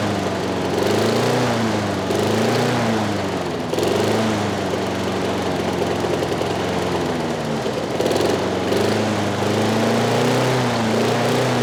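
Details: Trash-picked Craftsman 6.5 HP 21-inch push mower runs but pitch swings up and down every couple of seconds; governor arm stuck at the carburetor cannot hold speed (later freed with PB Blaster).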